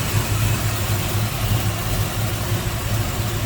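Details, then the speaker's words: 1941 Chevrolet Coupe street rod, crate 350 V8, 4-barrel, HEI, headers, TH400 automatic, heard at open hood: deep steady burble, even beat, no knocks or misses; smooth-running, normal idle. "Wow, nice smooth running V8. Sounds good."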